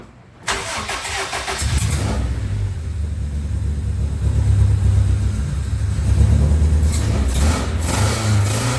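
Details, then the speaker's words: Honda D17 engine started after a new head gasket (the old one had blown while tuning a D16 VTEC cam), ARP head studs and EGR delete. Short crank, then a steady, even low idle with no knocks or misses. "Sounds good to me. Got this motor freshened up a little bit, some new ARP head studs, new head gasket, deleted the EGR valve."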